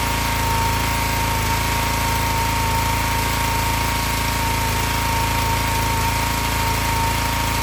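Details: Excell XR2500 pressure washer (DeVilBiss) with 5 hp Honda engine, started after fixing its stall-after-15-seconds fault, traced to a bad spark plug, not the carburetor. Steady, even drone under load, no misses, surging or stalling: normal running.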